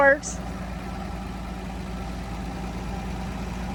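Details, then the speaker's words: Dodge Dart slant six, sitting since 1992, first start, possibly running hot: steady, even idle with a smooth low drone and no knocks, misses or ticks, running like a sewing machine. "but it is like a sewing machine it is it is like a sewing machine that's unbelievable"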